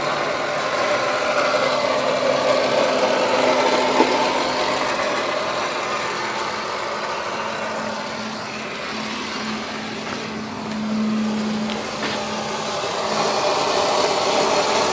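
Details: Mercedes C-Class that won't start, making a steady airy whir with a low hum like a blower motor; cause suspected, not confirmed.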